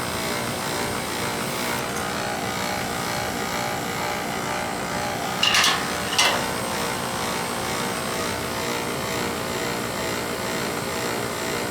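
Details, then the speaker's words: Old boiler with circulator pump reportedly installed upside down: a faint steady whine over the drone with light clicks, from an unoiled, dry circulator motor bearing. "that noise is probably coming from the bar I've always been able to give a foreigner like you hear that whining now me then don't even sound like that"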